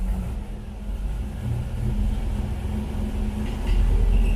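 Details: El Camino G-body with LS swap, back on the road after pulling the transmission; the leak turned out to be the oil pressure sensor. Steady low rumble with an even beat, no knocks or whines, idling and running through gears; sounds healthy.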